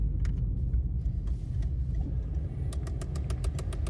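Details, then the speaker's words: Citroën C2 at 187,000 km: with air conditioning switched on, sharp light ticks repeat about six times a second over a rough idle; owner says noise appears with A/C, not a driving problem, cause unknown. "c'est quand je mets la clim ça fait un bruit genre"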